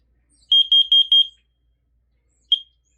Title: This is how I test the carbon monoxide alarm.👍👍👍👍😃😃😃😃👍😃😃👍👍😃👋👋👋😃👍😃👋😃👍👋😁😍😩😩📱📱📱😁😁👋😃👍🙋‍♂️🙋‍♂️🙋‍♂️